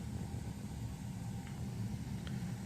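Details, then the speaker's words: Gas heater firing after getting it working again: steady low, even rumble with no popping, ticking or surging; burner running normally. "If you can hear it, it's it's working and it's on right now."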